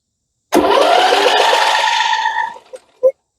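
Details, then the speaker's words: MTD Yard Machines 21hp 46-inch lawn tractor, Briggs & Stratton V-twin said to have a blown engine, PTO switch held: two seconds of steady starter whirr, turning over without catching, no big knocking; no start. "so I see I see that spark plug boot jumping so that means and I don't hear big knocking and I don't see oil pouring out so what's wrong with this engine I guess we start by checking spark"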